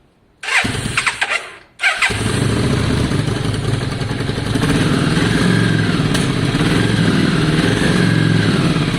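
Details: V-twin after some carb work, cold start on choke: short cranking catches into an uneven, lumpy idle with occasional sharp pops. Spits while not fully warm, less once warm; cause not pinned down.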